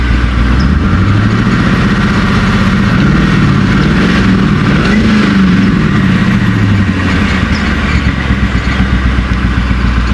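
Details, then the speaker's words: Long-sitting former Allen Superchargers Mustang test car being revived, now running a little better: lumpy idle whose beat stumbles every so often; owner thinks there is still an occasional miss, cause unconfirmed. "Starting to run a little better now. Worried about these cobwebs, those are fine. I think I still got a miss here and there."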